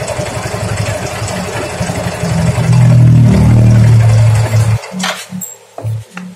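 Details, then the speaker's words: Yamaha Mio M3 125 scooter running with CVT removed: steady low knock about four per second unchanged, mechanic concludes fault inside engine at con-rod and its bearing, piston also pitted; connecting rod big-end bearing knock. "Jadi fix masalahnya ada di dalam mesin Di tengah ini suaranya pasti kalau analisa saya di stang seher dan lahernya yang kena"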